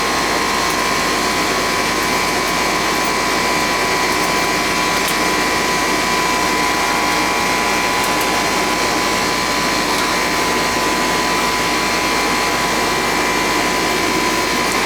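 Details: AC outdoor unit with a Bristol compressor on a no-cooling service call, now running and warming up: a steady, even fan whoosh over a constant compressor hum, no rattles or cycling. The condenser fan and compressor are running normally.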